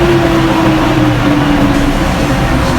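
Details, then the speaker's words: Vehicle engine test after exhaust pan repair and cleaning: steady, even run with a mellow, quieter exhaust note, no rattles or blowing leaks; mechanic judges it normal now, not as loud. "Normal naman siguro yan, hindi na ganun kalakas ano? Yun, goods naman daw na, sabi ni Master J."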